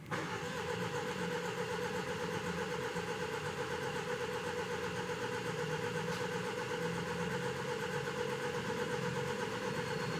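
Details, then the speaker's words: 2015 Range Rover Evoque, first crank after variable valve lift replacement: even starter cranking at about four beats a second, every compression stroke alike, no clatter; normal healthy cranking, signalling oil pressure is reaching the valves. "that's what you want to hear if you don't hear that you are in trouble my friend in trouble that means you either have no oil pressure getting up to those valves"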